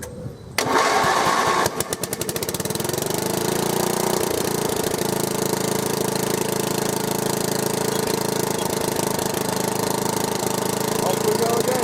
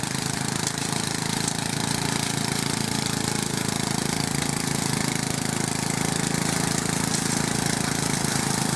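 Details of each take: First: Small engine, pull-started, catches then runs with an uneven lumpy beat and wavering speed; described as very rough, cause not yet found. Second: Westwood garden tractor, Briggs and Stratton single, after fault fixed, pushing through a willow in the orchard: steady even beat about three a second holding firm under hard load; healthy engine.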